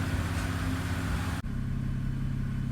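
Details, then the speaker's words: BMW E90/E92 after cleaning the VANOS variable valve timing solenoids to fix a stutter and rough idle: low, steady, even idle with no stumble or hunting; constant idle, now healthy. "Constant idle. So, I'm about to go drive it and see if it stutters under acceleration or anything like that."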